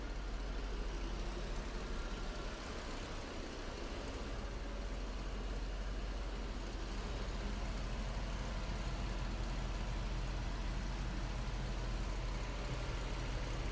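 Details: 1991 Mercedes 500SL V8 after replacing old idle control valve hoses and cleaning the valve, emissions prep: deep steady rumble at about 600 rpm with no hunting, miss or knock; air pump shutting off audible; healthy idle.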